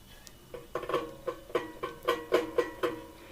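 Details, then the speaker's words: Hegner scroll saw blade plucked with the tension slackened: row of dull, low twangs about four a second near 500 Hz, unlike a properly tensioned blade; slack blade needs the knob tightened. "Sometimes it'll loosen. Now I'm going to pull this tension lever and you will see that the sound will not be the same."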